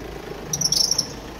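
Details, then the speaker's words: Car at idle with full left steering lock gives quick sharp high chirps over a low hum; the charging belt is worn and hardened, the alternator bearing pulley faulty, and the automatic belt tensioner faulty. "Bu aracın şarj kayışının ömrü azalmış sertleşme başlamış şarj dinamo bilyalı kasnağı bozulmuş otomatik gergi ayar dediğimiz gergisi de bozulmuş arkadaşlar direksiyonu tam tam sol dayadığın bu ses gelir"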